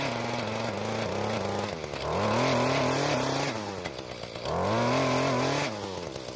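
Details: Mantis two-stroke tiller after turning the carburetor L screw about a half turn counterclockwise, tilling hard dry dirt: buzzy drone sags under load and recovers cleanly without stalling or surging; normal running under load.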